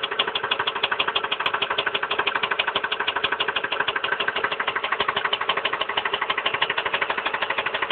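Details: 1999 Ford Expedition Eddie Bauer 5.4 V8 idling with a steady, rapid knock of about three a second. It began after a mechanic removed the intake manifold to replace the coolant pipe behind the water pump housing and changed the spark plugs.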